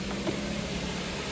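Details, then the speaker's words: 2007 Suzuki SX4 2.0L J20 after timing chain set replacement (worn guides, stretched chains caused noise); steady, even idle with smooth low hum, no rattle or slap; normal idle. "car sounds totally different timing pain is nice and smooth"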